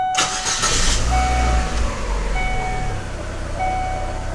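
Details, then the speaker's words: 2006 Chevy Aveo after plugs, wires and coil replaced, vacuum leaks checked, EGR and IAC valve cleaned/replaced: engine starts and settles into a smooth steady idle, rpm not jumping, no audible misfire; previously rough idle with P0300 random misfire code. "well seems like it's idling good our PM's aren't jumping you can't hear it misfiring at all"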